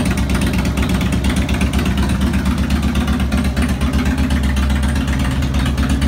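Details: 2002 Harley Road King Classic on a bike table, second start after replacing cam chain tensioners, lifters, O-rings, gaskets, checking leaks: steady loping V-twin idle with even low pulse, no ticking or top-end rattle; healthy.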